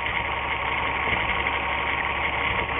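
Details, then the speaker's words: 1997 VW Eurovan 2.6 VR6 AES engine, waste-spark coils, multiple misfire codes, idling while a plug wire is pulled off: lumpy, shaky idle stumbling about three times a second; misfire from disabled cylinder. "i'm sure you can see that spark and hear it too and you can also see the engine runs a little bit worse when i pull that off"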